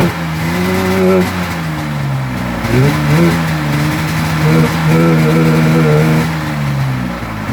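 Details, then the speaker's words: 1996 Polaris XCR 440 Special with the EC45PL engine, fitted with 38 mm carbs instead of the correct 34 mm: revs rise and sag unevenly, hunting rather than pulling clean. It runs poorly because of the oversized carburettors. "It still has the 440 special EC45 PL8, but it was missing the 34 mm carbs. It had 38s and it ran like crap."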